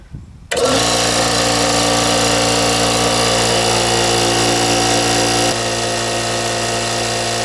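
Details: Brute 10 gal air compressor after replacing its leaking pressure switch: kicks on and runs with steady even motor hum and pump chatter, no knocks or leak hiss, working normally.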